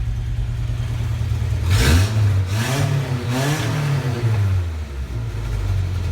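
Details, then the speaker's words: 1987 Toyota 4x4 22RE with an Engnbldr Street RV head (larger valves) and a header, first start after reassembly: crisp, clean blips with no knocks, ticks or misses; a healthy engine. "The engine sounds better than the 22R in my 85. This thing sounds amazing! Maybe the header helps."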